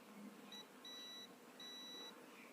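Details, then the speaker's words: Ahuja SSA 250M amplifier repair: after resoldering the AUX1/AUX2 selector switch on both sides, the meter in beep range gives three clean high-pitched beeps; continuity confirmed, good joint. "इस प्रकार से soldering करने के बाद आप इसे फिर से आप कंटिन्यूटी चेक कर लें बीप रेंज"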